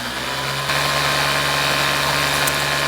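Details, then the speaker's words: Detailing pump drawing from a 5-gallon pail while priming the tube: loud, coarse, steady buzzing drone with a rough rattle, sounding like it might implode; pump straining during priming. "all right let's see if it'll Prime the tube this thing sounds horrible it sounds like it's going to implode on"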